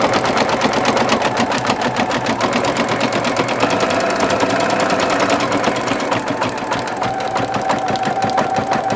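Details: Singer Futura XL 550 after a fix to cure bobbin-area rattle: quick, even needle clatter at steady rhythm with no rattle or knock; stitching smoothly.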